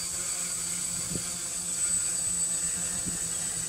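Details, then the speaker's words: PX4-based DIY "hardware store" drone hovering before PID tuning, mechanical and vibration checks already done: steady high-pitched propeller whine with no surging or wobble, snappy and responsive; a clean, healthy hover. "that's pretty responsive there let it fly for a minute and after a minute we'll we'll get the uh yeah it's pretty snappy and responsiveness"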